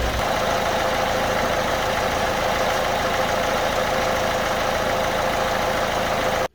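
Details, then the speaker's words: Citroen Berlingo Multispace 1.6 HDi diesel, first start after fuel filter replacement and hand-pump bleeding, idles lumpy and uneven for a minute or two as air works out of the fuel system, then runs fine. "I've no doubt it's going to run quite ropy for a little bit. And then hopefully as the air gets out of the system, it'll start to run a lot better."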